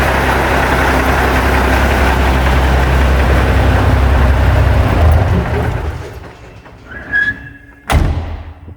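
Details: Seddon Atkinson 311 Cummins diesel truck yard find, just started and warming up in neutral, a few revs: heavy clatter swells then settles back even and steady, ending with an air hiss; normal revving and idle.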